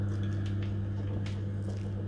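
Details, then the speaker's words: Main Combi 24 combi boiler giving no heating or hot water, switched on manually at the timer with power light on: only a steady low circulating-pump hum; no fan spin-up or burner ignition follows, so the boiler never lights. "you've heard the pump start but there's no burner so it's a burner in there and that's not coming on there's no fan running"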